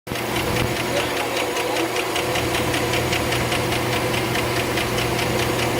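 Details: 2008 Chevrolet Suburban V8 idles steadily with crisp rapid ticking, about four ticks a second: lifter tick.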